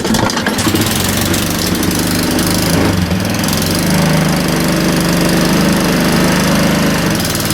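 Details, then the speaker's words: Hayter 479 series mower after blade brake cable replacement: loud, steady engine and even blade whoosh with a brief dip as the blade brake lever is engaged; running normally. "But you'll be able to hear a difference in the engine and the noise from the blade going around."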